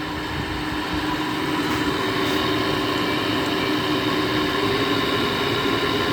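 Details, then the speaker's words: A 2009 GE air conditioner, first start in a year, with a stiff fan motor and a possible LG rotary compressor: a steady loud drone with a harsh, rough edge over the fan rush. The back fan motor bearing is suspected. "it was running nice and smooth and then we just had that loud bearing noise that's probably not a good sign sounds like it's the back bearing"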